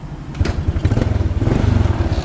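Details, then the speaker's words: 1986 Honda Astrea Star motorcycle, battery weak: small single-cylinder thump, brief blip then a steady quick beat with no knocks or rattles; engine runs smooth. "Nah itu ya. Nah ini bunyi ya. Nah itu bunyi ya, Bang. Mesin halus."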